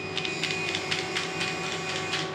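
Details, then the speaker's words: Home-built RC model truck crawling too slowly, rapid uneven clicking over a thin motor whine; gears skipping somewhere in the drive after overly deep screws pressing on the gears were replaced. Cause unconfirmed. "sounds like it's skipping all so I've definitely done something wrong somewhere along the lines"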